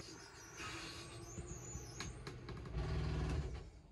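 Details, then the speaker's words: Lippert RV slide-out motor after repair with a new metal gearbox gear, greased: steady low gear-motor drone with no grinding or clicking, sounding smoother than before; normal slide operation. "switch is working that metal gear sounds a lot more buttery than it used to so i'm uh pretty pleased"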